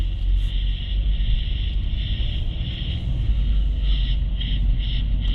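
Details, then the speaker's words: 2016 Nissan Rogue at about 30 mph, microphone at the driver's side front wheel: steady low road rumble with no growl or hum building with speed and only slight brake noise. This wheel bearing sounds normal. "all right it seems fairly quiet there's a little bit of brake noise but not the kind of noise I'm getting"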